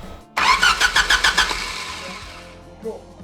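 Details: Homemade F1-style race car with a brand-new engine computer: the starter spins the engine at about three to four compressions a second for about a second, never catches, then dies away. Spark is suspected missing: no-start, ECU unpowered.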